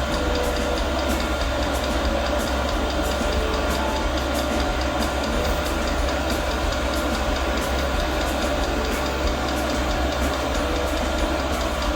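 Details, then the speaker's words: Newly mounted portable all-in-one diesel air heater, first start at maximum power, about 40 seconds in: even fuel pump ticks about twice a second over a steady fan rumble. The burner never lights on this first start, and a shutdown cycle follows. "Sono passati 40 secondi, si sente il rumore della pompa che ticchetta. Sentite? Tac tac."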